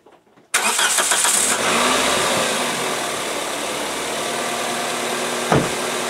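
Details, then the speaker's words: 2003 Toyota Corolla 1.8L with code P0505, started: cranks, catches and settles to a steady fast idle around 1200–1400 RPM that never drops; faulty idle air control valve, before replacement. "but you'll hear a huge difference on how the engine runs cuz right now it's adding at about 12 to, 1400 RPM which is way above what it should be"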